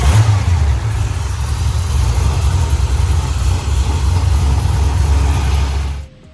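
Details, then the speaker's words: LS V8 after fouled spark plugs were found and a retune, now with new mufflers: deep, loud rumble revving smoothly for six seconds then cutting off; runs clean and healthy. "We got the new mufflers bolted on, you can hear them things. But oh my God."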